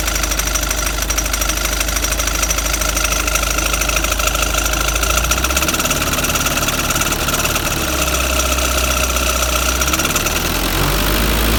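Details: Mitsubishi Delica L300 van running: thin high squeak chirping over the engine about two to three times a second.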